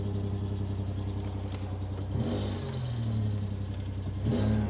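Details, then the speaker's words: Toyota 3rd-gen 4Runner 5VZ-FE V6 just after spark plug replacement: engine catches and settles into a smooth, even idle with a brief belt squeal fading off; exhaust sounds good, engine healthy. "All right, she sounds good. She sounds so good. Oh, she sounds good. Oh man, that exhaust sounds so good."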